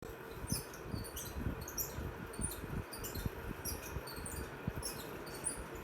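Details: Ceiling fan making faint, quick chirping squeaks about twice a second, a dry rhythmic squeal; the bearing is the suspected cause and is to be changed. Cause suspected, not confirmed.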